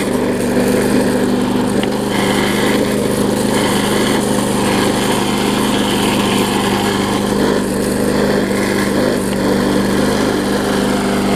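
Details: Bolens front-wheel-drive self-propelled push mower with roughly 4.5 hp Briggs & Stratton, after regapping ignition coil that sat too far from flywheel (had no spark): steady, even single-cylinder buzz at constant speed, no misses; running properly.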